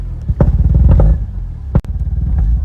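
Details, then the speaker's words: 1987 RX7 Turbo rotary, warmed up and driven at full throttle: a hard-pulling rotary buzz drops out abruptly, then picks back up. It is intermittently cutting spark; the cause is unconfirmed, and the owner plans a standalone ECU. "we're having the same intermittent issues but flat on the floor just just cutting spark"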